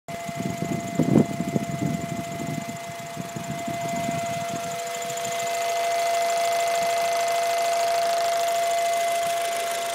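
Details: Acura Integra GSR petrol engine running with a steady, clear hum from the breather tube between head and intake tubing, caused by a bad PCV valve.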